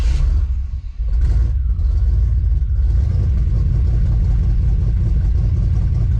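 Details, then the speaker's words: 1991 Chevy Silverado with 399,000 miles: deep, uneven, rough rumble because the MAP sensor vacuum hose was knocked off during EGR work; it runs much better once the hose is reconnected. "bad sounds like we got a camp well you guys I'm a freaking idiot look what I found that's the vacuum that's the vacuum hose for the map sensor I must have hit it when I was freaking doing the EGR"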